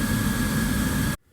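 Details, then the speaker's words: Ancient oil-fired heating burner test-run after its motor bearings were cleaned and lubricated (motor had been turning slowly) and the fuel pump refitted: steady even roar with a smooth hum, no knock or scrape, then cuts off; normal burner running. "This sounds promising, so I'll leave it running for a while and then check to make sure there's no fuel leaks since I had the pump off."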